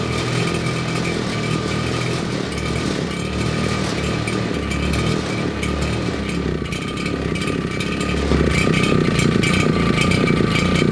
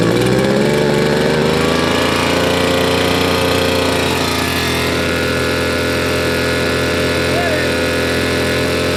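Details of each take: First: Old RedMax two-stroke leaf blower missing fuel lines, two-stroke mix poured into the cylinder, plug finger-tight: high buzzy rattle briefly picks up then fades; runs only on poured fuel, pointing to fuel delivery, so carburetor gets disassembled. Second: Old RedMax two-stroke leaf blower after carburetor cleaning, tank cleaning and fuel line replacement, run outside: steady buzz settling from higher rev to an even idle without stumbling; runs properly, shut-off works.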